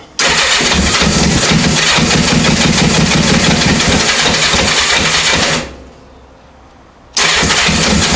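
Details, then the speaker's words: 1984 Honda CB700SC four-cylinder, first run after fixing a no-spark fault and a stuck carb float: smooth, even running, briefly dropping off then picking up; debris, possibly mice nest, blowing from right exhaust; all four cylinders firing, no carb leaks. "carbs are not leaking all four cylinders are we got Spark all four cylinders are running"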